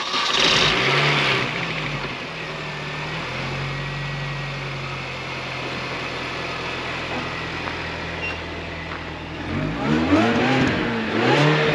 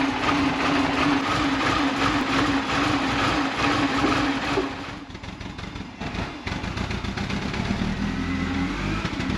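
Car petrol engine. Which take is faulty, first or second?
second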